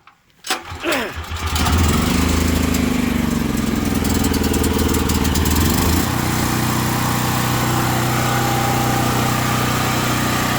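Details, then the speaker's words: Gas generator converted to propane with a fine-tuned regulator, 240-volt backup: after priming, a couple of uneven catches over two or three pulls, then it holds a steady, even wide-open drone without surging; normal start and run. "I know it's loud but running wide open on propane literally take two or three pulls to crank it I'm pleased with it"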